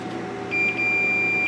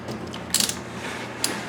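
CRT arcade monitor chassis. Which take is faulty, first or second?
second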